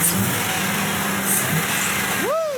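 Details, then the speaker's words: 2005 GM truck 6.0 L Gen 4 LS V8 after a stuck injector was freed with punch and hammer: even idle under some hiss and one clean rev, misfire counters at zero, no misfire. "Smooth, guys. That is smooth. Oh yeah, she's back. Our 6 liters back."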